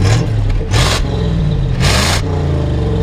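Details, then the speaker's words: 1981 Chevrolet K20 Suburban 4x4, 4-speed, "450" V8 with factory 4-barrel: deep burble climbs smoothly through two quick blips and settles cleanly, no miss, knock or rattle; healthy rev. "Sounds good. 450, you know, factory 4-barrel."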